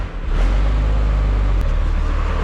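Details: Old Ford truck just started with the belt put back on: the engine settles into a steady, even low hum with no knocks or squeals. It runs smoothly and is charging at 14.2.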